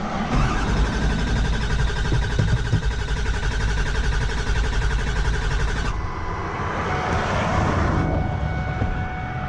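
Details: Ford Powerstroke diesel pickup broken down roadside with over a quarter tank, cranked after hearing the fuel pump: the starter churns with an uneven low chugging for several seconds but never catches. Crank-no-start; owner suspects a fuel supply problem and plans to check the fuel filter bowl.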